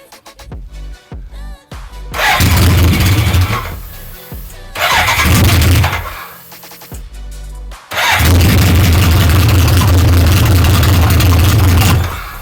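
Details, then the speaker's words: 1983 BMW K100 first starting after valve-shim gap work: the engine catches and runs in short bursts, then dies twice when throttle is cracked; it stalls on a little throttle, and the owner suspects it may just be cold. "Alright, so a little bit of throttle is killing it. Maybe it's cold, I don't know."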